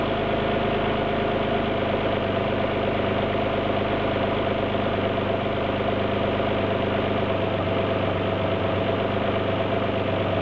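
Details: Alfa GT V6 at idle: steady idle with an uneven, lumpy beat and occasional stumbles in the exhaust pulse, consistent with a misfire.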